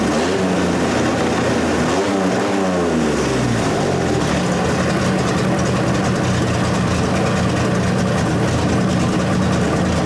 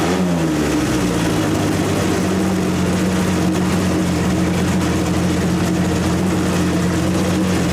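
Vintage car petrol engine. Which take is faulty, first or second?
second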